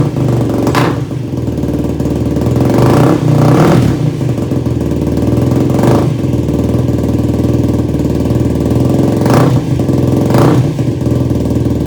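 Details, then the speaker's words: Yamaha YFZ450 single-cylinder quad during rebuild, first start: uneven idle with ragged revs surging and sagging every second or two; runs poorly, owner suspects carb jetting needs changing, cause unconfirmed. "All right, folks, well, that wasn't a very good first start here. So I'm not sure what's wrong with it. I think we're gonna have to pull the carb and we're gonna have to rejet some things."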